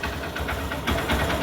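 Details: Honda Shine 125 BS4 motorcycle after compression-problem repair with gasket replaced: short stretch of the single ticking over at a fairly even idle pace, no loud knocks; sounds healthy.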